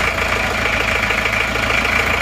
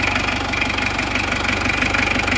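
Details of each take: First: Isuzu Panther diesel, first cold start after new NPR liners and piston rings: a hard, sharp, metallic clatter at every firing stroke at idle. Injection timing set too far advanced, to be retarded later once warm. Diesel knock. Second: Isuzu Panther 2.3 diesel after new NPR liners and piston rings, with injection pump timing just adjusted: even clatter at a steady beat, about three pulses a second, no harsh knock; normal, properly timed idle.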